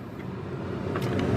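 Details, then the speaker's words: 2002 Dodge Ram 1500 pickup 4.7, after replacing the blower motor and blower resistor: steady, even rush of air over a low hum on high speed with no rattle or roughness; blower motor running smoothly. "next then High notice how smooth that sounds notice the sound of it"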